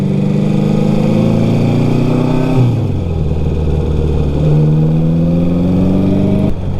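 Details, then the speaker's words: Restored 1954 Ariel Square 4, 1000cc four-cylinder, riding under acceleration: deep, smooth four-cylinder note rising cleanly through the revs, even firing with no misses; it runs smoothly and pulls hard, especially low down. "It's a pleasure to take this machine out for a ride. Nothing quite like the sound of an Ariel Square 4. Very unique, very deep."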